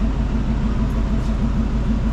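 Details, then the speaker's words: Van parked since 2018 with used 350 Chevy small-block: low rhythmic growl pulsing a few times a second under the running van; driveline rumble of unknown cause, axle seal a known problem. "but it sounds like the world's coming apart in here and it's vibrating just a little bit [Music] not sure what's going on there's no great way to lubricate that carrier bearing but I may try to do it anyway"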